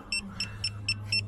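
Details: DAF XF Euro 6 truck with multiple dash faults, AdBlue gauge empty and engine power reduced: six sharp high beeps, about four a second; warning buzzer from CAN communication fault attributed to an incompatible replacement EAS3 ECU.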